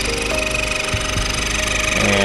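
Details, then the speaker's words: 10th-gen Honda Accord with code P0087 (rail pressure too low) and extended crank, idling at operating temperature: a sharp, rapid chirping tick rides loudly over the engine. The cam-driven high-pressure fuel pump is judged faulty; the cam lobe still needs inspection. "that just sounds awful we'll have to inspect the cam L with the highpressure fuel pump out but uh yeah I'm calling it that does not sound good"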